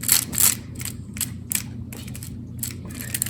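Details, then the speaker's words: Ruger Vaquero revolver with load gate hard to open and cylinder not spinning freely; uneven clicks and rattles as cylinder turns, notches catching the protruding cylinder stop due to worn load gate spring. "Alright, this Ruger is having an issue. The load gate's a little hard to open. And it's not spinning very freely when you open the load gate."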